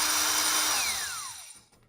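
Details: 1960s General Electric TH-30 drill, 3 A, 1/3 hp, after teardown, reassembly and WD-40 cleanup: high, steady motor whine dropping smoothly in pitch as trigger releases, coasting to a stop; runs healthy.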